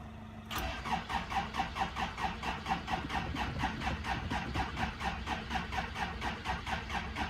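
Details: '85 Toyota Tercel parts car, cold, not started in about one year, old gas, carburetor pumped several times: starter cranks steadily about two turns a second with even chug but never fires; carb cleaner tried next.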